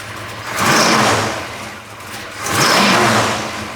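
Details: 1971 Chevrolet Chevelle, 454 big block V8, Edelbrock intake and AVS2 four-barrel carburetor, electric choke, HEI distributor, Turbo 400 automatic. Deep V8 burble picks up into two strong throttle blips, settling back each time, crisp and even; normal start and rev.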